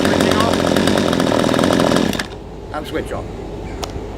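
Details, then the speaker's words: P1PE P6220C chainsaw, warm, chain brake on then off, no load: screams at full revs two seconds with slight smoke, slightly rich, then drops cleanly to correct idle, chain not turning; carburettor correctly adjusted. "you can see it started very easily revved up very easily the Shane wasn't rotating when I switched the brake off which is good the idle speed is correct"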